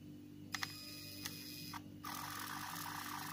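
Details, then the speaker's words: Elephone U2 smartphone pop-up selfie camera motor: thin buzzing whir as the camera extends, then louder, longer whir on retraction; noisy pop-up mechanism, solidity doubted. "il fait du bruit quand il sort oui bon il fait du bruit quand il sort mais quand il rentre c'est encore pire"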